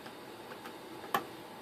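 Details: Netgear network switch opened up: faint uneven ticking with a sharp click over a quiet hum, awful noise from the internal cooling fan; bearings lubricated but fan expected to fail soon; cooling fan bearing failure.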